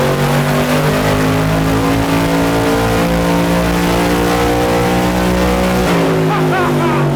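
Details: Built all-aluminum 5.3 L LS Chevrolet V8, bound for a 1999 Porsche 911 swap, on the dyno for the final full-throttle pull: strong steady roar at high revs, clean drop as throttle closes, no misfire or knock; made 299.8 horsepower.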